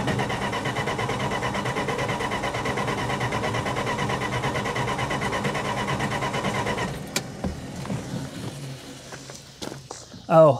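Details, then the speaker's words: 1966 Plymouth Fury, coil wired directly to the battery: fast, even cranking for about seven seconds, then stops without firing as the battery weakens. Crank no start, no spark. "no i'm done man something's very wrong here i'm running out of options the battery's going dead it's getting late we still have no spark"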